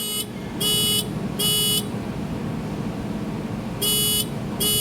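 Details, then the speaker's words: 1988 Mazda RX7 rotary that won't start: ECU diagnostic output gives even, long beeps about 0.8 s apart in groups, settling on code 03, the water temperature sensor. "What is 03? What is 03? 03. I didn't print that thing out. 03 water temperature sensor."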